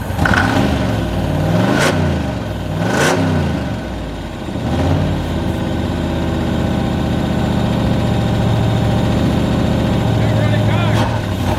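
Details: 1995 Ford Mustang 5.0 (302) V8, 5-speed manual, first start after 15 years, only cleaned up: engine surges and sags unevenly, hunting near a stall with a lumpy beat; rough idle, lifters mentioned, cause not confirmed.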